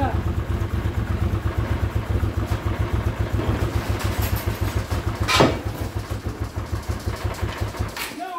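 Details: 1979 Honda CX500 Custom that hasn't run in 2 years, newly rebuilt carbs, tried with and without choke: lumpy, pulsing twin idle with one sharp pop midway. Backfiring, cause unclear; owner may richen the mix screws.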